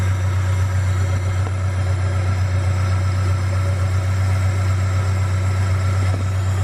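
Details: Honda Prelude BB6 H22A4 after throttle body cleaning and new K&N pod filter intake: steady low idle hum with even pulse, no dipping or stumbling; previous rough idle near 400 rpm instead of 800 fixed.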